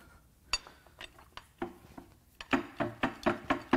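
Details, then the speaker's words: Ford 3.5 EcoBoost V6 from a Taurus SHO, removed for teardown, plugs out: engine turned slowly by hand gives scattered metallic clinks and clunks about two a second from loose parts inside; loose internal debris from bolts that came loose. "well it turns over that's a good sign i am hearing things in there come in it actually sounds like something wants out"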